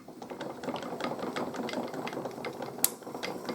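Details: NZ-2 automatic coil winder repaired after shipping damage, bobbin spindle drive gears removed, handle cranked by hand: light, crisp trip ratchet clicks, about two or three a second, with no grinding; mechanism works cleanly.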